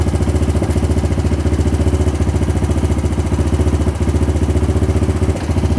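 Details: 1998 Honda Foreman 450 ATV after voltage regulator replacement for a no-charge fault: steady, even single-cylinder idle, no knocks or misses; charging 13.8 V at idle, about 14 V revved.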